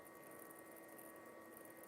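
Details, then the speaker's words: Xbox 360 powered up after at least a year unused: steady airy fan rush with a thin constant whine, fans running hard; cause unknown. "Wow listen to them fans"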